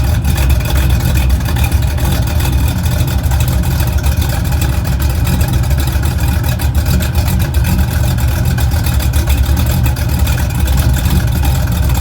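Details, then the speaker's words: 1985 K10 project truck V8, extremely loud exhaust: rough idle and a couple revs with busy clatter under the exhaust roar; owner hears cam rattling. Valvetrain rattle, cause not pinned down. "hear that cam rattling in there. Give it a couple of revs, nothing too major. It's extremely loud, and I do not know how I feel about it."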